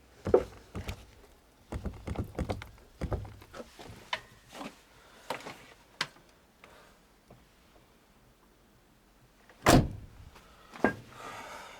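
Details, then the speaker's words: Car door rocked by hand gives irregular hollow clunks and a visible gap, a year after the doors got sound-deadening with 3 mm STP vibration damping and Splen; the extra weight wore the hinges, both sides. "Посмотрите, что случилось с дверными петлями. К дверным петлям. Мы слышим стук, видим появившуюся щель."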